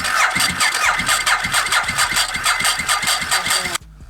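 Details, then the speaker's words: Ducati 1098 project bike, long-sitting, with an incorrect battery that isn't made for this bike: slow, labouring starter with about two compression beats a second and no firing, as the weak battery can't spin it fast enough. Crank no start; correct battery planned. "the battery is not made for this bike and um it just wasn't enough so we're probably gonna get the right battery for this"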